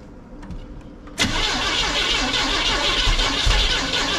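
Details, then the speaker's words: 1971 Chevrolet C10 first start: cranks and catches, then uneven stumbling idle with busy top-end clatter; still misfiring, lifters possibly not set right or not pumped up. "foreign also sounds like maybe there's some lifters that aren't quite set right or they're not pumped up"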